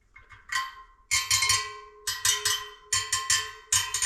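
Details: Wheel build, tapping spokes to check tension while truing for even tension: sharp tick with clear ringing note around 400 Hz matching its neighbours; spoke tension correct.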